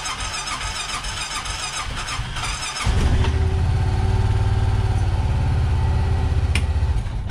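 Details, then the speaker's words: Honda Pioneer 700 single-cylinder fuel-injected UTV, cold start at about 23°F after sitting over 24 hours, original NGK plugs, small battery: about three seconds of steady starter churning before catching to a lumpy cold idle; hard cold start, prolonged cranking. "all right so you saw it took to me that's way too long it's fuel injected vehicle it should not start like that i don't care if it's cold or not"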